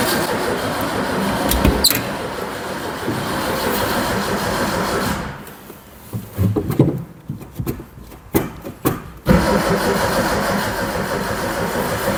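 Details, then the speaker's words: Barn-find Zastava 850 (often mistaken for Fiat 600), partly restored then stored for years, with a weak battery and fuel put into the carb: the starter churns unevenly, then short weak bursts, but it never catches. Apparently no spark. "I put fuel in there but it seems to be no spark"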